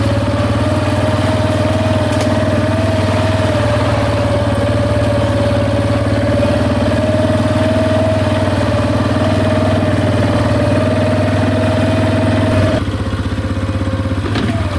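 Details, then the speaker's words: Big Bear 400 ATV, just started on choke, with a new aftermarket muffler replacing the OEM one whose baffle broke loose: steady, soft single-cylinder idle with an even low thump and no rattles; very quiet. "Oh my gosh, this thing's so quiet."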